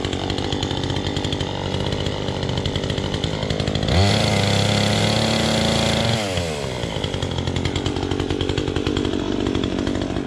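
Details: Chainsaw with a loose chain idles at an even patter, revs up cleanly for about two seconds, then drops back to a steady idle; sounds healthy.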